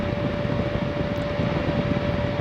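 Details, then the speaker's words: Relocated power-vent water heater exhaust: steady rushing exhaust with constant mid-pitch fan tone, no surging or rattles; not excessive from inside the house. Normal exhaust vent noise. "3-in pipe is a lot quieter however in this location the sound really isn't excessive when you're inside the house and the farther you get from it the less intrusive it becomes"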